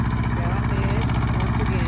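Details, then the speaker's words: Thermo King TriPac small diesel bench-tested off the truck without coolant, run briefly: steady even chatter with firm low pulse; no knocking, no excessive smoke, engine running cleanly. "So cut it off. Just wanted to hear it start. There's no knocking, no excessive smoking."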